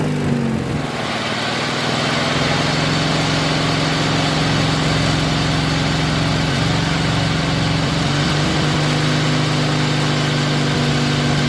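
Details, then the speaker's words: 1986 Murray lawn tractor, 40-some years old, after carburetor repair, mowing grass under load: the engine holds a steady, even low drone with no surging or misses. Normal running. "for a 40some year old mower that cuts grass pretty good."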